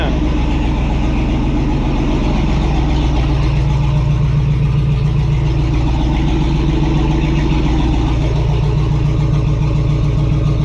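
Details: Wagon with a modified stock tank holding an OEM Chevy Silverado fuel pump, first start after charging a dead battery, no fuel leaks: deep, steady V8 burble holds an even idle without hunting. Normal idle.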